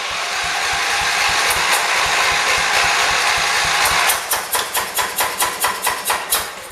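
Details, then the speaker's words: 1978 John Deere 208 tractor, just restarted after a head gasket replacement and fixing an air bubble in the fuel line: an uneven, lumpy note surging about twice a second; it runs rough, with the carburetor suspected to be out of adjustment. "there it goes [Music] there it goes i got it why is it running so bad adjusted ready"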